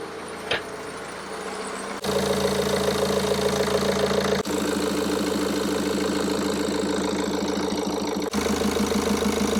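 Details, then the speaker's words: BMW F11 520d diesel after cam cover gasket replacement and injector seat cutting, with the fuel system bled of air: cranks, catches at about two seconds and settles into an even, steady idle with no knocks or misses; sounds good. "Sounds good."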